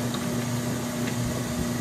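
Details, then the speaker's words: Kenmore 80 Series washer on a large cold load, extra-slow agitation: only a steady low motor hum with almost no other sounds, no knocks, squeals or grinding; running quietly and healthy. "granted yes it's on extra slow but that's quiet you just hear the hum of the motor there's almost no other sounds"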